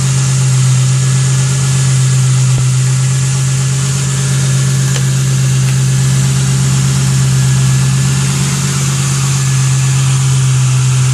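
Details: Ford Thunderbird 4.6 V8 after five years stored outside: deep, even idle with steady low rumble, no knocks or misses; runs smoothly like new.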